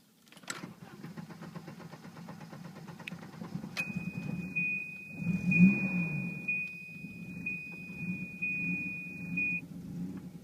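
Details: 1991 Volvo 740 turbo petrol engine starts then idles roughly with a lumpy, wavering beat; fixed by swapping the radio suppression relay with the cooling fan relay, showing the relay was the cause.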